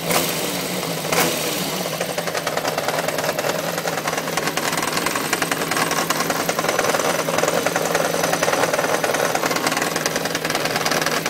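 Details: 1993 Yamaha XJ600 inline-four idling with a light, quick tapping knock through the exhaust note, alongside an unexplained oil leak; source of the knock unknown.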